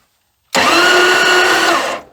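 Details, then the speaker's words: 1979 Dodge D300 one-ton truck, sitting 20+ years: the starter spins fast and even with no compression chuffs. Gauge read zero on most cylinders; the owner suspects valves held open, possibly by acorns, and plans to inspect the valves. "well it has none no sir"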